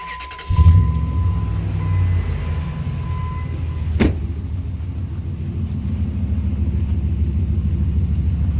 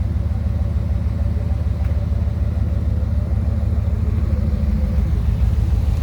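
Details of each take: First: 2003 Ram 2500 quad cab long bed, first start after installing a new Flowmaster FlowFX cat-back exhaust to fix a leak at the back of the catalytic converter: steady, even, mild idle rumble, with no more ticking or fumes; normal idle. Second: 2003 Ram 2500 quad cab long bed before a Flowmaster FlowFX cat-back install: loud, deep idle with a quick, even popping pulse under the seat from an exhaust leak right behind the catalytic converter.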